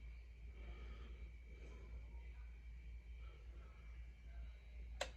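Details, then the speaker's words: Newly replaced boiler zone valve, with the customer's Nest calling for hot water: quiet low hum, then one crisp relay click as the valve opens and the boiler fires; switching normally after the repair. "so now what should happen we will select hot water we'll hear that click we'll wear that valve open and we'll see the boiler fire up"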